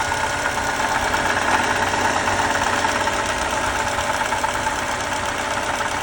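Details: 2018 Lexus IS 300 idling with a fast, even rattling whir in the upper range; owner suspects a bad water pump, source unconfirmed.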